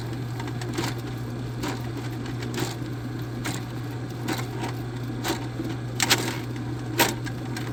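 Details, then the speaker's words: Drain snake clearing a clogged kitchen line, possibly roots, with a spade bit; steady motor hum with irregular hard slaps about once a second; the cable is slapping, so check the coils aren't wrapping. "When you hear that really hard slap, always check your coils to make sure they're not wrapping."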